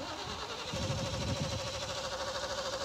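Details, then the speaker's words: 1981 Jeep Scrambler with 350 V8, idling terribly, low rumble surging and stumbling; also once failed to crank like a dead battery; filters found clear, plugs being checked; rough idle. "we've also been having a problem where it just it idles terrible"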